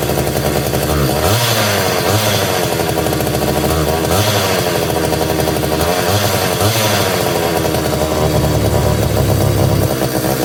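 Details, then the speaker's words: Homelite Super 240 Classic two-stroke chainsaw, unused for over 20 years and very dirty, run after unflooding. It buzzes loudly but speed sags and surges every few seconds, struggling to idle and making a lot of smoke. "no so definitely struggling to to idle a little bit but uh I mean that's pretty positive boy that made a lot of smoke too didn't it"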